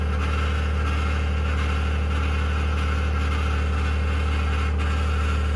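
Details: 2021 Ford F150 PowerBoost at cold start; steady low engine drone with a rough, even churning pulse about three per second; cavitating/grinding noise, cause not yet found.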